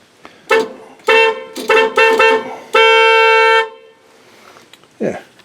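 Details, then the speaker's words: 1986 Dodge Ram D150 318, horns remounted and horn relay replaced after fuse kept blowing: several short honks then one long steady clear blast, no crackle or dropout; normal horn operation. "works good enough to get through inspection"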